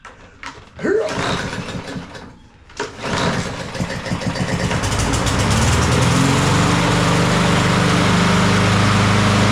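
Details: Troy-Bilt TB200 push mower with Briggs & Stratton 550E 140cc engine, before service, dark oil: a few pulls and sputters, then it catches and runs loud and unsteady with an uneven beat; the engine is running rough.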